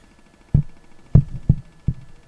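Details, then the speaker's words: Courier Gladiator PLL 40-channel sideband CB radio at power-on: four dull low clicks about half a second apart over quiet hiss. "That's got a a clicking sound."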